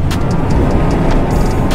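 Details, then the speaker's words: Combine at full throttle after startup with afterburner off, 23,000 RPM, cylinder speed 710, fan 850: deep steady roar with no banging, scraping or snapping, threshing mechanism sounds healthy. "just like that 23 000 RPM cylinder speed 710 fan 850 concaves look good I don't hear any banging around metal scraping against other metal stuff snapping or popping back there I think we're good to go"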